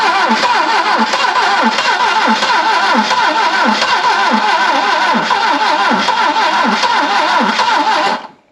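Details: Barn-find Saab 99 first start after a failed ignition coil was swapped for a new one, with fuel pumping. It fires and keeps running at a brisk, slightly uneven beat for about eight seconds before shutoff.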